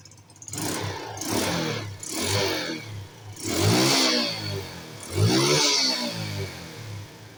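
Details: Small carbureted scooter (Wave/Spark/Mio type) that had exhaust backfiring, after sealing the leak point with glue. Clean rev blips climb and fall back smoothly with no pops or bangs, so the backfire is cured.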